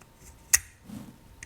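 A crisp mechanical click as the key steps between positions; the ball detents are seating properly, as they should.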